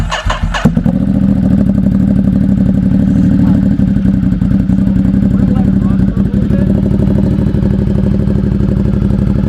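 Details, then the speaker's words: Ducati Monster 1200 first start after race air filter and Termignoni ECU flash (Racing Evo map); uneven idle sagging and recovering as ECU adaptive learning sets idle fuelling: hunting idle after remap. "And if you hear it how it's doing like weird, sometimes low, there. And sometimes, that's the ECU adaptive learning right now. It's trying to figure out where idle is, how much fuel it needs to give it, all that kind of stuff."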